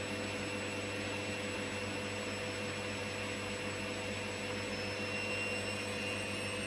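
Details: Candy GVS169D3/1-80 Grand O Vita 9kg washer after motor-controller triac replacement (error E09): empty drum fast spin, steady even high whir, no knocking, rubbing or wobble; quiet and balanced, normal spin.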